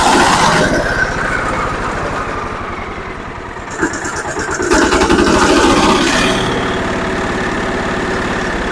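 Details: Zubr walk-behind tractor (motoblok) engine started after reassembly with the oil and water pressure sensors fitted and rpm lowered; a new voltmeter reads 12.7 V. It cranks, catches and settles into a steady, even beat with no knocks or misses.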